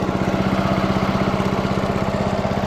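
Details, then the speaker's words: Early-1980s Snapper Series 6 six-speed self-propelled lawn mower after running in gear three gives quick, evenly spaced putt-putt beats at a steady idle, with no misses or knocks; cuts good, purring like a kitten: normal idle. "it cuts good and everything [Applause] she's purring like a kitten"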